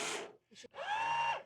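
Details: Rieco Titan truck camper jack, the good jack: brief smooth electric motor whine at a steady pitch with no grinding, compared with a noisy jack whose motor head needs replacing.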